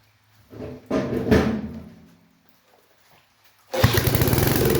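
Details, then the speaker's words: Old Snapper mower small engine, previously suspected of having no compression: after a couple of short cranking bursts it catches and settles into a quick, even thumping run. Starts and runs normally. "I really needed to hear that because I didn't think it had compression that's how you want it for sure"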